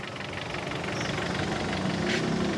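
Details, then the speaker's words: 2014 Kia Cerato at idle: light, regular tapping that tracks engine speed; internal engine knock that quiets after half an hour running but not fully, cause not yet pinned down. "Depois de meia hora, gente, depois de meia hora dele funcionando, ele vai baixando, vai baixando a zoada vai baixando, vai baixando. Não fica 100%, mas baixa."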